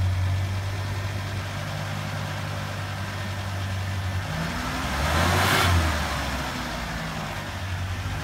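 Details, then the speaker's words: 1987 Ford Ranger regular cab, five-digit odometer, starting right up: even idle, then a smooth brief throttle blip that settles back cleanly, no smoke, running healthy. "five digit there go and start it up fired right up don't give a little gas"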